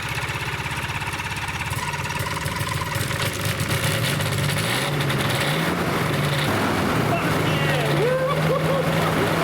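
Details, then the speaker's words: Rotax 582 two-stroke aircraft engine on first start after replacing the stator following a failed mag check: steady buzz, even beat, no dropouts or stumbles; running cleanly on both magnetos, then both mags off and shutdown. "the sound of an engine running on 2 mags. Both mags off. Engine shut down. That's the sound of success."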